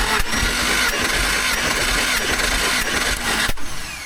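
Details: Jeep six-cylinder cranking on the starter during a compression test of cylinder 6, which reads about 150 psi: even, steady cranking with regular compression pulses and no skips or clanks; healthy.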